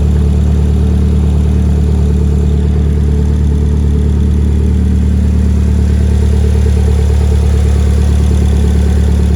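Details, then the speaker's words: 2008–2012 Chevy Malibu 2.4 L engine, first start after installation (bent-valve repair), no exhaust fitted beyond manifold and catalytic converter: loud, deep, steady drone with even beat, running on all cylinders, no misfire or timing issue. "and there we go sounds like it's running on all cylinders uh it's not missing any timing or anything like that it's just loud because we don't have the exhaust on"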